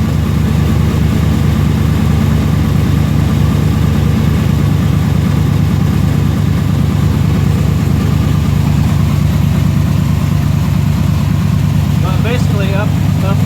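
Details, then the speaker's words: 1990 Chevrolet K1500, 5.7L 350 V8, automatic, after a new exhaust manifold and studs cured a puffing, ticking manifold leak: deep, even V8 burble at idle with a steady exhaust pulse and no ticking or puffing; normal. "And here it is now. No noise whatsoever other than normal exhaust sounds."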